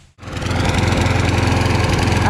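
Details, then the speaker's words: Craftsman push mower after draining overfilled crankcase oil: no longer smokes, but starts and settles into a drone that wavers and stumbles unevenly. Owner suspects oil in the carburetor, which was then cleaned, after which it ran great. Rough running. "i drain the oil it doesn't smoke anymore but it still runs a little rough i think maybe a carburetor might be filled with uh some oil"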